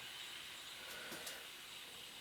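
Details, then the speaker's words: Electric kettle after DIY repair, tested with a little water: quiet steady steam hiss with faint rumble underneath as it comes to the boil, steam from the spout; normal boiling. "Ну вот, пошел процесс закипания. Зашумел. Из носика показался пар."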